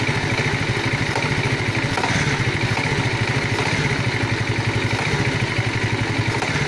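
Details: Alfa small single-cylinder engine at steady idle with rapid even tapping clatter on every beat; engine knock of unknown origin.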